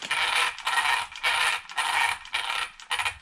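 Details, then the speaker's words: Arrma Typhon RC car on the bench, wheels turned by hand: gritty ratcheting bursts about twice a second, a horrible rough drive noise from the drivetrain gears, against the smooth sound of a healthy car. "funny drive noise compared to how smooth mine sounded. This thing sounded horrible."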